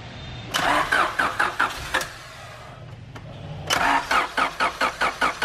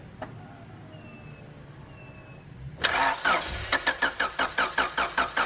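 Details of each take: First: 1991 Honda CRX Si with JDM B16A swap, after fixing a no-start by restoring fuel pressure (tank was low on fuel): two bursts of steady cranking at two to three beats a second, engine catching; normal start. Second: 1991 Honda CRX Si with JDM B16A swap: starter spins engine at an even, brisk rhythm about five seconds without firing, then stops; crank no start, likely because it is out of fuel.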